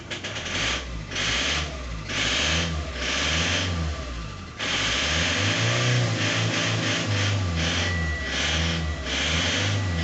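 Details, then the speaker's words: Ford Transit 2.0 engine with a rhythmic metallic tapping over the engine that quickens as it revs. It is a knock from inside the engine, and the source is not yet identified. "У меня вот такой вот стул, блин. Он такой металлический, блядь."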